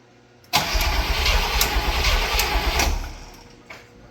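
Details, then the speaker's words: Barn-find Cadillac 7-liter V8, unstarted 30+ years, cranking during spark check: about two and a half seconds of even cranking with a light tick, no firing; no spark confirmed. "All right. No sparkage. You had spark? Nope, no sparkage. I just hear the tick. No spark."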